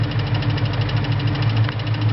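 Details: 2001 Mustang Cobra at idle with a light even click several per second that developed recently; owner suspects the throwout bearing, not confirmed.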